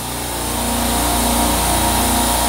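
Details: Walk-in freezer rack refrigeration circuit after leak repair (leaking liquid-line hand valve replaced with a ball valve): a Fieldpiece VP85 vacuum pump pulls a vacuum about 11 minutes in, with a steady high-pitched drone and fine rapid pulsing. Normal operation.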